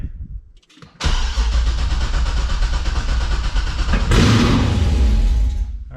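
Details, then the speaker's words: 2006 C6 Corvette LS2 with 6-speed manual, Texas Speed 233/239 .600-lift 112 LSA cam and long tube headers, exhaust not yet connected, first start: brief starter whir then a loud lumpy open-header V8 rumble, shut off after seconds; sounds fine. "so it fired i shut it right off the corvette's a little bit weird once you hit that starter button it's going to roll over until it actually fires so fired up it actually sounded fine so far"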